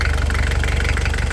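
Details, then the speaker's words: Nissan Mistral TD27 diesel, after Bosch VE pump rebuild with no leaks, cold day start after glow plugs, starts first try: steady even idle clatter, regular low pulses, no misses or knocks; healthy. "It's actually pretty cold today. Glow plugs. One time it starts, just like"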